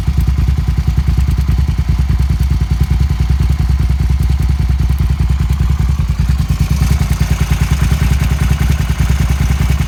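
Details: Suzuki SV650 V-twin motorcycle idling with a deep, uneven thump and a light metallic clatter on top; abnormal engine clatter, cause unknown.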